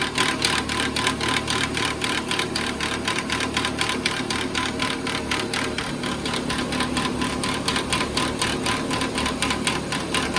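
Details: 2014 Nissan Pathfinder idling: fast, steady clanking and rattling about four times a second from a broken radiator cooling fan.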